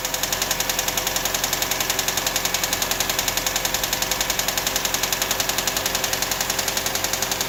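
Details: 1999 Toyota RAV4 at idle with a rapid, evenly spaced, sharp metallic ticking that keeps time with the engine; the cause is not identified.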